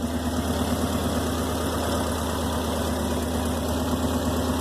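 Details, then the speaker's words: Subaru Forester at idle after junkyard-parts exhaust rebuild with new gaskets: steady even low rumble, no ticking or puffing, no exhaust manifold leaks heard. "that good I don't hear any manifold leaks those"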